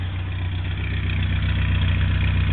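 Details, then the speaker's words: 1956 Morris Minor 950 engine, cold, at about 1000 rpm with the choke pushed in and oil pressure at 70 psi, heard at the tailpipe: a low, steady idle with even firing and no misses, knocks or ticks, and no smoke. Normal idle. "still sounds good that's at a thousand rpm so it's cold but it runs like that all the time as you can see there are no strange noises nothing wrong with this motor"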